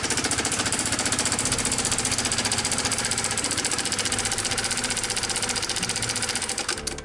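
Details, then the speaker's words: 2017 Honda Sonic, never run low on oil, at idle: fast, harsh metallic clatter over the idle that stops at shutdown; loose cam chain suspected, not yet confirmed; cam chain tensioner rattle. "Suaranya sangat kasar sekali dan ini untuk prediksi sementara rantai klepnya kendor."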